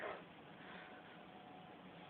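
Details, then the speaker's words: Oxelo MF freestyle scooter, wheel spun freely: quiet, steady gritty rumble with a faint ringing note, a rough wheel bearing, most likely the rear. "voilà écoutez on a quand même un bruit de roulement assez bizaride"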